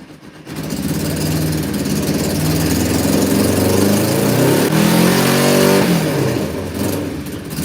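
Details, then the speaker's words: Cold motorcycle started with snow on the ground, blipped on high choke: revs rise and fall back with a lumpy, uneven beat; owner thinks only one cylinder is firing; suspected misfire, later clears to smooth running. "Sounds like it's only running on one cylinder. That one's firing."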